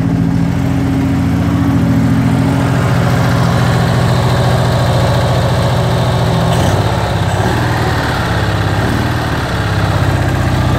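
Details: BMW 600 limousine microcar, 23,000 original miles, fuel lines replaced: small twin idles with a steady low putter, firing evenly with no stumbles or misses; normal idle.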